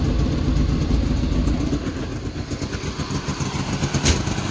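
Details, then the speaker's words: Two-stroke car after spring startup, fuel pump quieter, battery on charge: loud choppy low popping and crackling through dual pipes at a brisk idle; runs fine. "fuel pump is much quieter we got our battery charging because we flattened it trying to start it"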